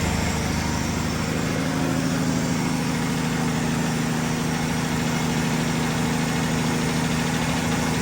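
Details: 1965 Chevy Bel Air V8 started after long storage, odometer showing about 54,000–58,000 miles: steady idle with a light, uneven ticking rattle, suspected rocker arm, not confirmed; no blowby noted, old stale gas in tank.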